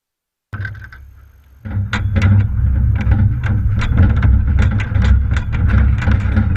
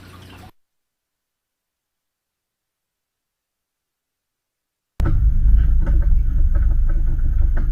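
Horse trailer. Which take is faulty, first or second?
first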